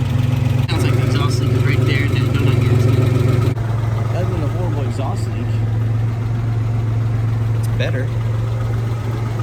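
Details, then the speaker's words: 1985 Ford Ranger 4x4 after major engine work, sat 20 years, idling: rapid even puffing tick about three per second over low rumble; exhaust leak, suspected at manifold donut gasket or catalytic converter. "let's get out with it running and see how the valve lash actually sounds well it's definitely an exhaust leak"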